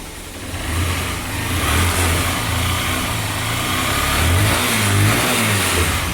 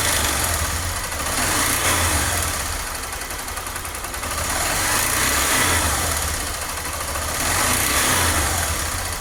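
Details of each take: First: Honda Fan 125 fuel-injected single after head work idling and blipped, running smoothly with no knock or tapping; the strange head noise, worse when hot, is gone. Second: Injected Honda Fan 125 motorcycle, cold, revving in swells with a dry, busy clatter from the cylinder head; noise grows unbearable when warm; owner already checked cam chain, valves and lubrication.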